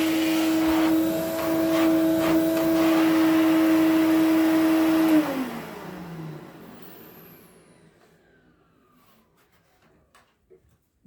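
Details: 1970 Electrolux Z91 vacuum fitted with a later replacement motor because the original died: strong steady hum, then switch-off and a fairly quick wind-down unlike the original 91's deep resonating hum; usable, but not the original motor.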